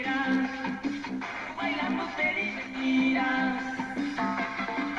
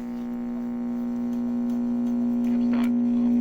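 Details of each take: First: 1945 RCA Victor Model 56X3 series-filament tube radio playing, with clear, steady music and no hum, crackle or fading; receiving normally. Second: 1945 RCA Victor Model 56X3 series-filament tube radio, original and unrestored, brought up slowly on a variac to about 75 volts; a loud constant low buzz with a station faint behind it, blamed on failed electrolytic filter capacitors.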